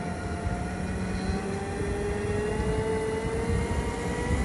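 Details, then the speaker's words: 2016 Segway X2 after coupling replacement: thin whining tone sliding in pitch over background rumble, appearing only when slowing down, not going forward or leaning back; seems mostly on the left side; noise on deceleration, probably not the new couplings, cause unknown. "it seems like when i slow down this is when that noise comes"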